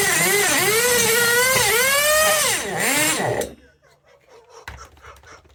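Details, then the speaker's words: 1/8 Tamiya Nitrage 5.2 nitro RC truggy, built 2008, just out of storage. Screaming high-pitched buzz rising and falling with throttle blips, then it cuts out on release. Idle is likely set too low; the carb gap probably needs trimming. "I think it's the idol Now isn't it that because soon as I release the throttle it's cutting out"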